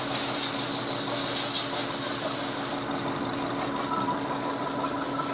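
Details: Fuel-injected car engine with rough noise when cold, after reconnecting a connector firmly: steady petrol idle, even light tick, no harsh rattle, rough noise gone; normal idle.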